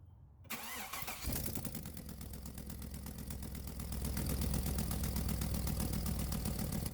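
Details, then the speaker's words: Chevy/GM secondary air injection (codes P1415/P1416), cold start with air pump running, hose disconnected from check valve; loud rushing buzz over idle as airflow escapes — failed check valve confirmed. "right away we can hear the airflow and you can also feel it so let's try it with the plastic to show you guys the airflow in case it's too loud and with this we can confirm that our check valve is the problem"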